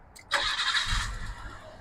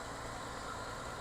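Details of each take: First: Nissan R33 Skyline with idle issue: engine catches with a burst, stumbles and sags briefly after start-up, then runs great; owner suspects idle air control valve, considers mass air flow sensor. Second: Nissan R33 Skyline whose idle air control valve is suspected to be failing; runs rough at first then clears: quiet, steady idle with an even hum and no stumbles or misses.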